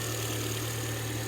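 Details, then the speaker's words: Ford Fiesta 1.2 Zetec idling after fix: steady even low hum, no rubbing; noise was a rubber piece sitting at an angle rubbing the belt at the back, pushed back into place, now quiet. "yeah so now no noise so that's what it was around the back that rubber was rubbing against the belt"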